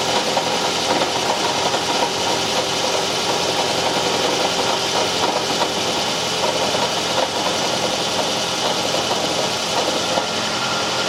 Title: Toyota Camry hybrid 2010 engine noise when starting car